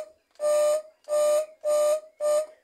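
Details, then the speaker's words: Washing-machine tub (tanquinho) motor being recovered after a melted wire, briefly powered before the start capacitor is fitted: four short bursts of loud steady hum with no run-up, the motor hums but won't turn because the capacitor is missing. "só não girou, não rodou aqui essa roda, porque não tá colocado o capacitor."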